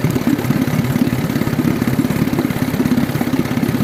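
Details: Outboard engine: loud, uneven idle with lumpy pulses and skipped beats instead of a steady putter; ignition misfire caused by spark tracking.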